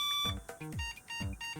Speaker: beeps that means that everything is initialized but the graphics card is missing let's add one [Music] the main board still complains about missing video card let's test another one